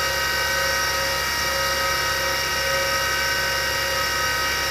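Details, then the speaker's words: Former military 1960s Carter rotary converter on a test run: a steady motor hum with a rough, hissy high-pitched rush from noisy worn shielded bearings, whose grease has likely dried out. Carbon brushes also need replacing; a slight spark appears at startup. "i'm not sure how well you can hear it but the bearings are noisy and that's the issue with this with this thing"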